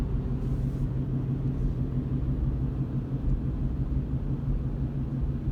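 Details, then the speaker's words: 2017 Chevrolet Colorado coasting at cruising speed after a hesitant shift into second. A deep droning, uneven pulsating rumble, felt through the floorboards, gas pedal and steering wheel, worst around 50. A driveline noise with the cause not pinned down. "Now I can hear it, and I can feel it through the floorboards and the gas pedal and the steering wheel. It's like a pulsating noise."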